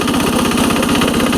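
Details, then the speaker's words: 1983 Case 446 repowered with a Lombardini 6LD 435 diesel, high range at full throttle up a steep grade, engine still a little cold: fast, even beat with no misses or knocks; normal full-throttle running. "It's got a lot of low end torque now. I'm in high range,"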